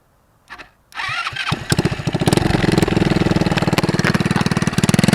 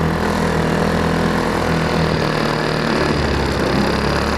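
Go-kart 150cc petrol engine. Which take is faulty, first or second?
first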